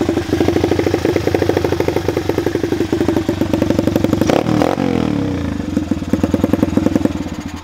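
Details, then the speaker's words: Chinese dirt/pit bike, carbureted single-cylinder, after adjusting the idle screw, choke closed: quick, even popping at a steady idle, and a throttle blip drops cleanly back. Normal idle, bog test next. "besides that I mean we're at a good idle speed so now we're gonna test if it bogs so now that is that a good idle let's"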